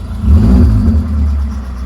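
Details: Citroen AX 1.0 petrol engine running on fresh fuel, no longer smoking heavily: a deep, even rumble swells briefly with a light rev then settles, no tapping or misfire; healthy.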